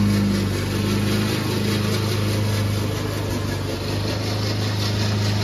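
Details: Old Toro Recycler mower that still cuts Kentucky bluegrass, binaural recording: a steady engine with a coarse rattling clatter from the noisy drive system. The racket was later fixed with WD40.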